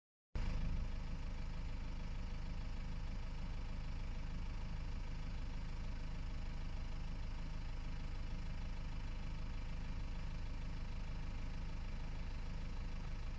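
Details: BMW 520d E60 automatic, 163 hp, diesel idling with a dull beat and faint metallic ringing, loudest near the oil pan at the engine-gearbox joint; owner suspects balance shafts, torque converter or flywheel; unconfirmed.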